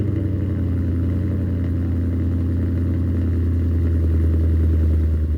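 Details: Salvage-auction supercharged V8 with almost 68,000 miles, started with battery power retained: deep, steady, even idle with a smooth low rumble, no knocks or misses; healthy idle.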